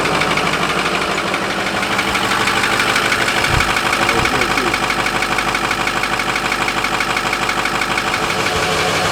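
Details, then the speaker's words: 2005 Ford F-250 6.0 Powerstroke diesel, microphone moved down close to engine: steady idle with a sharp, even tick about three per second over the diesel clatter; engine ticking at idle, cause not yet known. "now you hear all that about ticking let's get closer to really hear it down here"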